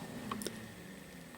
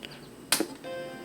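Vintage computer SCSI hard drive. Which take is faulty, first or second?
first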